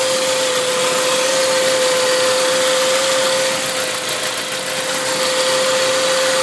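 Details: Saab 9-5 turbo petrol on E85, turbo 10,000 km old, engine not fully cold (about 30°C): steady thin whistle around 500 Hz over the hiss at idle; source unknown.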